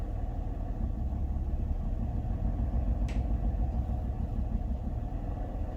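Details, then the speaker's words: Idle of a Honda Civic or Lexus while a Launch X431 Pro Elite scanner switches off an individual fuel injector: low, steady idle rumble with a slight uneven beat, one cylinder apparently not firing. "For fuel injectors, we can turn off individual injectors."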